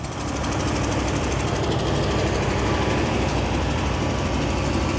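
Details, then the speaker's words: 1968 International Loadstar 1800, 392 big-block gasoline V8, first start after sitting months: rough, loud idle with a quick uneven clatter about three a second; valve train on one bank much noisier than before and smoking more, cause unconfirmed. "So, the valve train on this side seems a lot more noisy than it used to be."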